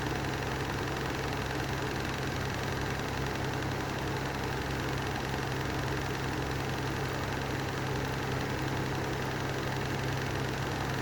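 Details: Lanson Style 3 exhaust fan, newly acquired, running with worn bearings that need replacing: a steady, rough drone with a constant low hum and an even, gritty roar that never changes.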